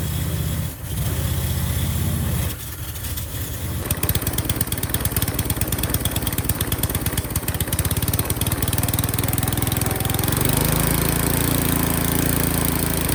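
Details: Qualcast Classic Petrol 35S cylinder mower fitted with a cheap replacement Chinese carburettor, jets adjusted: slightly uneven, hunting beat after startup, steadying somewhat; runs a bit rough, blamed on the cheap carburettor.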